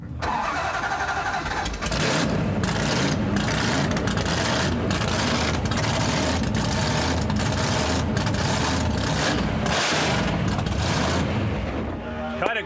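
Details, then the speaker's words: Drag race V8 at fast idle with a few blips after chasing a misfire in cylinder seven with a coil swap, new plugs and a new ignition wire: loud, steady even firing, sounding the best it has. "we got to cool it down that's the best it sounded that sounds real good way better"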